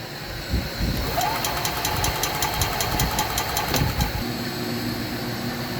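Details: 2021 EZGO Express L4 EFI crank-no-start, with voltages checked on the pedal switch wires and a Kawasaki 400 EFI wiring schematic sought: the starter spins the engine with a choppy, even churning for a few seconds but it never catches.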